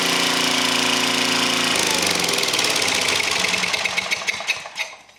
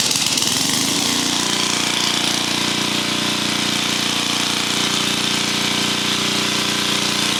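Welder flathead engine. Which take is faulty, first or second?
first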